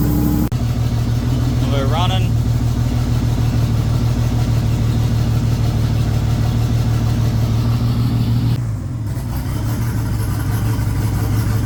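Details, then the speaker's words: VL Commodore turbo revived after about 20 years, interior mostly in, fuel pump still to fit, only idling: steady, even low idle, smooth pulse, no misses or knocks; sounds healthy. "all righty so just a little update on how the valve will be going or is going so got most of the Interior all in now um almost once I get this fuel pump in it'll be um driving stage um just moving it around bits and pieces so yeah all right guys so um the car is running but um just idling at this stage"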